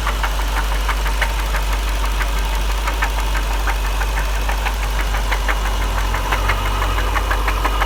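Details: 1999 Jaguar XJR idling with sharp regular knocks about three a second, after secondary tensioners were replaced and the engine then overheated on a drive; owner asks if rod knock; not confirmed.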